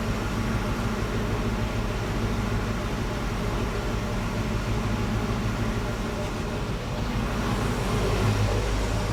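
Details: Mercury Cougar after a Mustang exhaust kit was installed, first start. Deep, smooth, even rumble with no rasp or ticking; a tiny pinhole leak was found during the check; normal exhaust note.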